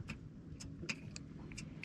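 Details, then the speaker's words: Outboard trim/tilt unit before motor replacement: sharp solenoid clicks under the cowling repeat about every half second with no motor whirr, so power reaches the solenoid but the tilt motor doesn't run; motor suspected, connections possible. "oh and just to confirm for you we have power you can hear the solenoid clicking under the cowling"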